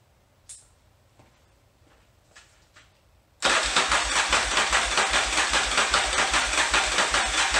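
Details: 1981 Yamaha XV920 motorcycle with new starter and ground cable, fuel in float bowls: even starter cranking, about two and a half compression beats a second, never catching, still clunky; crank no start, fuel starvation at carburetors.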